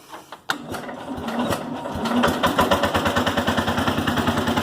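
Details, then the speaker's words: Cub Cadet 107 garden tractor after generator installation and points gap adjustment: engine catches, then rough idle with a hard diesel-like knock about three times a second; owner suspects ignition knock, also a charging problem. "yeah you can still hear it it still sounds like a diesel something still knocking I think it's ignition knock you can hear it it kind of sounds like ignition knocks"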